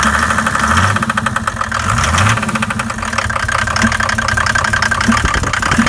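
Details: Mercedes OM606 diesel at cold idle: dense even clatter with a few odd sharper knocks late on; cause found to be leaking intake valves, fixed by replacing valves and lifters.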